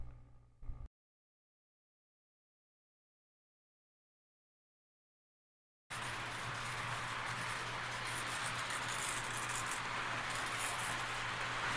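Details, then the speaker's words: Junk-bought model locomotive on a test run around the layout oval: steady whir with a light, irregular rattle from a loose washer, to be replaced; otherwise runs fairly smoothly. "Well, it's moving. You can hear that rattling sound. That's that washer. So I'll get that replaced."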